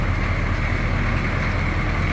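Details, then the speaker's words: 1982 Chevrolet C10 Silverado 6.2 L diesel pickup recorded from the rear: deep, even diesel rumble with a steady low beat and no knocks or misses; normal idle. "Slip around to the back so you can hear this run. Gotta love that sound."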